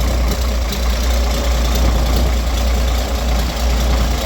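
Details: Roadtec paving machine diesel after exhaust and air-intake checks, air filter and fuel filter, which previously coughed, sputtered and shut down: deep, steady rumble holding an even idle, no misses or surging, no visible exhaust smoke; sounds good.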